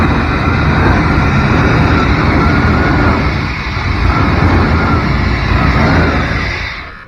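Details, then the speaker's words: A 1992 Chevrolet truck, pulled from a field after 10-15 years, running on a universal fuel pump. The V8 catches and settles into a steady, even low rumble with no knocks or misses before shutting off. Sounds healthy. "That sounds good. It sounds healthy."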